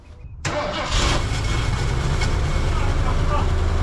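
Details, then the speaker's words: 1979 Ford Ranchero GT V8 with DuraSpark electronic ignition, sitting 20 years: brief crank, then catches at once on choke without pumping and settles into a steady, even fast idle; normal cold start. "Look at that, that is a testament to Ford quality. Right up, didn't even hesitate. No pumper, nothing. Just choked and fired up."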